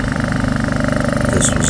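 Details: Honda EU2000i generator engine runs with a rough, uneven pulse and rising speed, surging and only running on choke from a dirty carburetor; fixed with carb cleaner and basic maintenance.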